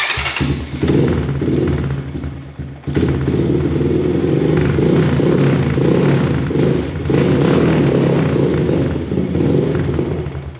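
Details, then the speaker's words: 2014 Honda TRX250 single-cylinder ATV, cold engine started indoors on a cold night on full choke in neutral: fires up, then revs sag and pick back up unevenly; won't hold idle until warm. "And it doesn't want to idle right now, like I said, because the engine's cold and we are indoors."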